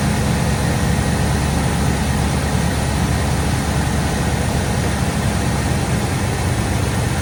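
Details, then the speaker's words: 1987–1995 Ford F-series truck, 5.0/5.8 V8 with fuel injection, after throttle position sensor work for stalling on light throttle and rough idle; warming up to temperature: steady, even low rumble with no dips or stumbles, smooth warm-up idle. "Now we're starting. It takes a minute to get up to temperature there. Oh yeah, that's pretty normal for one of these type of EC5 fuel injectors."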